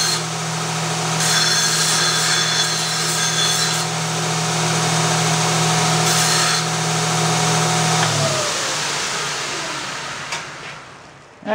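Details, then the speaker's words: Bandsaw run at reduced speed after its motor was slipping and walking the belt off: steady motor hum with a rough whir from loose, noisy gears, then winding down. "the bearings are much quieter and it's not really so much the bearings it's the beveled gear in there this thing drives one beveled gear onto another and they're just cast gears"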